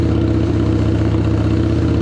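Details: 2017 Harley-Davidson Street XG750 fuel-injected, liquid-cooled engine on a test stand, run briefly because the coolant system is not hooked up. Steady, even idle with a smooth low thump and no knocks or rattles; it sounds healthy.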